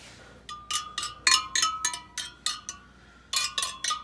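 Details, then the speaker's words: 1974 Honda CB550 rear wheel: screwdriver tapping each spoke gives bright metallic pings at a similar clear pitch; all spokes judged fine and evenly tensioned, though heavily rusted in. "you can check all of the spokes by just kind of listening to the pitch of them sometimes a screwdriver is better"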